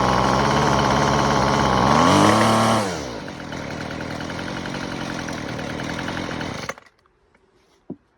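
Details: Weed Eater FeatherLight Plus FL26 string trimmer after carburetor replacement (original primer bulb busted, part broke), idle screw adjusted: crisp two-stroke buzz revs up cleanly, falls back to steady idle, then shuts off; running healthy.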